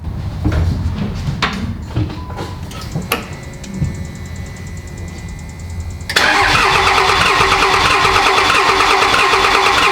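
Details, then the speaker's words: Dodge Ram Cummins 5.9 24v diesel after loose valve bridge issue: clatter then steady even idle, slightly smoky from old fuel, earlier ticking gone. "no well it's a little smoky from all that old fuel in it but it fires up and it sounds okay"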